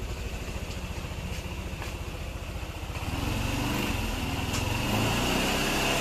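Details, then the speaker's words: Yamaha NMAX scooter after repair of a tick-tick engine noise (suspected rocker arm or camshaft) with the tensioner working properly; even, steady single-cylinder putter, smooth with no ticking: normal idle. "Suara mesinnya terdengar halus, kan? Sisi kirinya halus."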